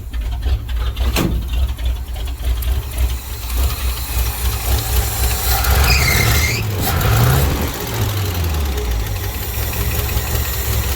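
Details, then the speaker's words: 1967 International 1200 truck engine idling, donut exhaust gasket possibly still leaking: light quick ticking clatter over the low rumble; lifter clatter. "now you can really hear the lifters just clattering it's great"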